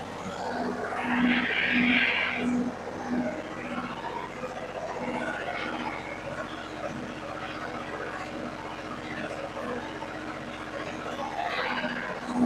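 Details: Yanmar diesel generator set, pushbutton start: a few quick cranking pulses, then it catches and settles into a steady, even run. A normal diesel start.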